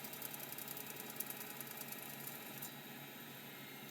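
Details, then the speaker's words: Seagate ST251 hard drive: rapid, light, rough ticking over a faint hum, yet it passes the short seek test, finds its tracking and parks; noisy but working drive. "sounds awful but ironically it did the short seek test which means it actually found its tracking marks and it Parks that's a good one"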